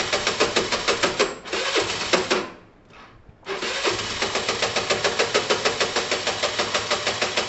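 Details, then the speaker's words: Chinese car being started: harsh, heavy clatter ticking about three times a second, briefly stumbling and dying before picking up; owner believes the engine is shot, possibly beyond the top end; low compression. "yeah even if it starts that engine is shot i think i think you can kind of hear it it's very heavy"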